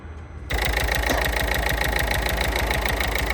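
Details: 2017 Peugeot Partner after knock sensor replacement and fixing BSI communication fault in battery fuse box wiring: engine catches at half a second, settles into steady, even idle with regular beat; normal start and idle.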